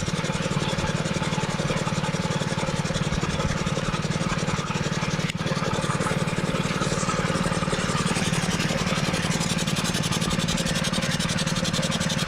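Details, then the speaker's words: 6.5 HP, 125 PSI gas air compressor, single-cylinder engine, after shipping-damage repairs: unloader valve has tripped it to idle, steady idle with constant airy hiss of venting air, normal; it returns to high idle when pressure drops. "So you can hear the unloader valve letting off air right here. And when you use the air, drop it below a certain pressure, it'll kick back up to high idle."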